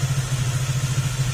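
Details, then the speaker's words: Honda Click 150 scooter, warm, after cylinder head replacement cured loud exhaust leak, aftermarket muffler: even low putting pulse about seven beats a second, no ticking or hiss; idles cleanly. "Kaya ganyan yung tunog. Pero nung hindi pa yan papalitan ng head, grabe yung ingay niyan. Parang wala talaga siyang pipe."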